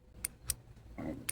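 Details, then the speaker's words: Honda Accord crank-no-start: spare relay bench-tested with 12 volts and ground gives sharp crisp clicks, three in about 1.5 seconds; relay switching properly, unlike the original relay which was completely dead. "Do you guys hear the click? This one is clicking, so this fuse, this relay should be fine."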